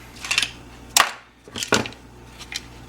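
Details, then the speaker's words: Old turn signal switch removed from a 1986 Mustang GT steering column and shaken by hand: light metallic clinks and rattles as broken internal pieces and chunks of aluminum fall out; replaced. "You can hear it rattling. The rattling and the chunks of aluminum falling out of it is a bad sign."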